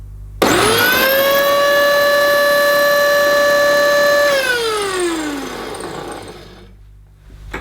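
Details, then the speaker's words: Electrolux Super Lite compact upright vacuum, bought with issues, unboxed and switched on: the motor spins up to a harsh, steady high whine and then winds down. This is not the noise it should make; the cause is not confirmed. "I'm not going to leave it running for long, of course, making that noise. That is not the noise it should make."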